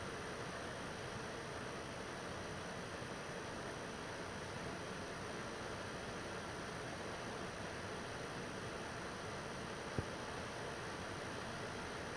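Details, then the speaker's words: PS4 Pro third-gen 7215B playing a taxing game. The fan spins up a little into an even, soft, steady rush of air with no rattle; this is normal and expected noise. "so I mean you can hear it you can hear it come up a little bit it's really not that loud it's not that bad and that's pretty much expected um uh for this uh 7215b"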